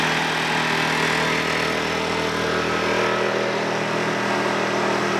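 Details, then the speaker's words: WEN56235i 2350W generator, first startup during burn-in, heard from the louder exhaust side: a steady, even engine buzz with no misses or knocks, a fairly loud exhaust note and a nice purr; running healthy. "So the exhaust side is definitely a lot louder. It's open air, obviously, has the generator function in it. Now that's a nice purr."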